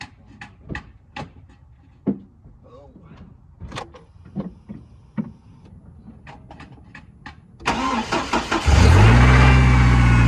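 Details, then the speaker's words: 2005 GMC Canyon 2.8 in cold weather, after spark plug replacement, started with mass airflow sensor unplugged: clatter, then catches and idles low and lumpy, running poorly as expected without the MAF, checking nothing else was left unhooked. "So, I'm gonna get this one tightened up, and I'm gonna start it up without the little thing, which means I got no mass airflow sensor, so it's gonna run like crap."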